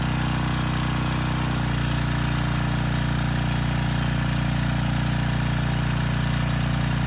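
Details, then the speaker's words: Briggs & Stratton Storm Responder generator repowered with a 10 HP Briggs engine (204412), old oil, carb unserviced: even, steady drone with no knocks. It makes power at 113–114 V and about 61.8 Hz unloaded. "okay well there's good news and bad news i guess the good news first makes power"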